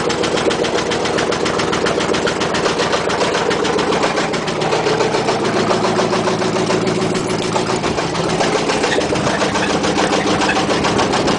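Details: 1996 Chevy 2500 Silverado at a rough idle, running very badly and needing an engine: a heavy, steady rod knock about three to four times a second.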